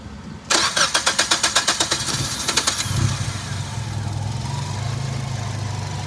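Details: 1998 Nissan Sentra SE-R that previously would not crank (key turn did nothing), started after wiring from the starter signal wire: quick, even cranking at about five pulses per second for two seconds, then catches and settles into a steady idle.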